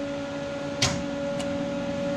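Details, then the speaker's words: Monarch 10EE lathe (5 hp thyratron-tube DC variable-speed drive) being powered on after sitting two months: a contactor clunk, then a steady mid-pitched hum as the big drive transformer energizes. Normal transformer hum. "I'll hit power on and you'll hear the big Transformer"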